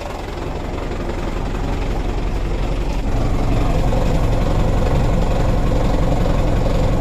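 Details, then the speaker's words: Mitsubishi Canter diesel truck bought second-hand, idle set too low, three injector nozzles replaced for white smoke: heavy uneven shaking idle, slightly smoother with raised idle but still rough; engine shake not yet fixed. "ini masih guncang mesinnya untuk guncangan mesin belum teratasi"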